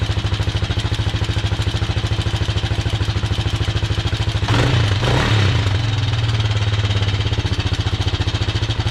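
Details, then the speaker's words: Kawasaki Mojave 250 single-cylinder, first start after sitting two years: light, regular tick on each beat at idle; owner suspects a loose timing chain, not confirmed. "I don't know if you could hear that ticking, but it sounded to me like the timing chain."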